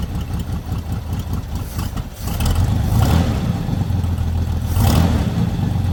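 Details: Lowrider V8 after fixing an oil leak from the dipstick: turns over, catches quickly and settles into a steady, even idle with no misfire, faster than before; normal idle.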